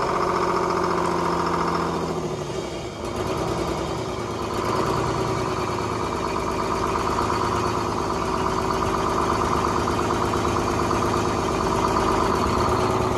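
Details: 1970s Crane Carrier 10-wheel-drive truck, Detroit 6-71 two-stroke diesel: catches without ether and settles into a rough, busy rumble at steady speed, running on its own fuel after four stuck injectors were freed.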